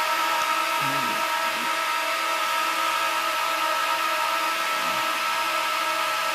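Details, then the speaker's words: Dell PowerEdge 1750 server powering up to boot from CD, 14 fans at full speed with three hard drives spinning up underneath, RAID cards slowing startup; loud steady fan roar with faint rising whir, normal drive spin-up. "you can hear those three hard dries spin [Music] up"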